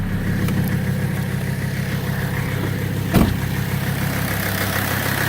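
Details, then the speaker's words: 1984 Mercedes-Benz 300TD diesel with a straight pipe, back at high idle (oil pressure around 2) after the pedal is pushed down: even, steady clatter with no misses or knocks; sounds good, a normal high idle. "There we are. Sounds good."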